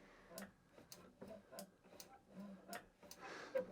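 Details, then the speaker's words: Lawn mower that would not start, engine off, after the ignition cut-off micro switch was adjusted about three full turns: light, sharp clicks as the handle lever is pulled; the switch now engages normally, so the mower should start. "so every now every time now that lawn mower will guarantee to start because you're getting that click noise"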